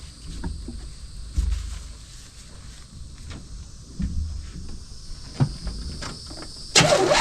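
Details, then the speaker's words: 1979 Pontiac Firebird, V6 that sat for years, first start on fuel with the carburetor bowl filled: scattered clicks and cranking, then it catches with a loud sudden roar and settles to a smooth idle. "figured she'd run because she ran. She started up when we fed her, but I didn't think she was gonna sit there and purr like a kitten."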